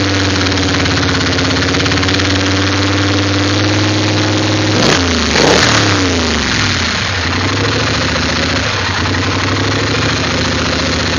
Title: 850 rough idle